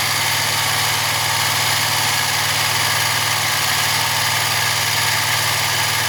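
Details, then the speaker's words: Wright Stander ZK mower after hydro pulley replacement; constant even engine drone with steady hiss, no knocks or squeals, though a slight whirring remains; running smoothly. "It's pretty smooth. Let's see what it sounds like over here. There's still some sound. Still a whirring of some sort."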